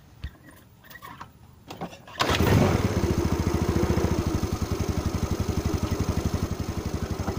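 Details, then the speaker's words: Yamaha Mio scooter that had a total no-start, after repairing the ignition contact-switch wiring: a few clicks, then the single catches and settles into an even idle of about four beats a second, running normally again. "nó trở lại bình thường, vì vậy phân tích cái xe máy chết máy, có chập điện không."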